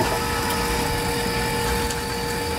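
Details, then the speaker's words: AirDog II-4G lift pump, truck idling: a quiet, steady hum with thin tones under the idle and no rattle. Normal, smooth pump running. "Running, working good? Pretty quiet."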